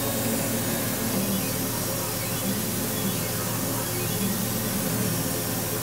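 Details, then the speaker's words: Laser cutter firing with no material under the beam and the air-assist compressor disconnected: only an even, steady hiss with no whistle or squeal, all quiet. The whine appears only when cutting material. Normal laser firing, no whine. "все тихо-спокойно никаких отклонений"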